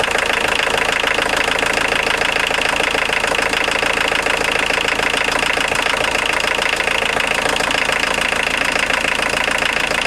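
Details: 1990 Volkswagen Jetta Mk2 1.6L diesel, after alternator belt drive repair and modification, checking for squeal: steady idle with even clatter about three and a half beats a second, no squeal or chirp from belt; normal idle.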